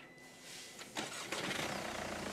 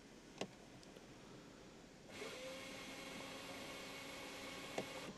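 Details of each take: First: Mercedes CLA 200 CDI, after repair of no-restart following auto stop (flywheel/transmission issue): quick clean crank catching at once into steady diesel idle; normal engine start. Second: Mercedes CLA 200 CDI, 130,000 km, would not restart after auto stop: starter spins freely with a steady whir but the engine never cranks; starter or dual-mass flywheel suspected.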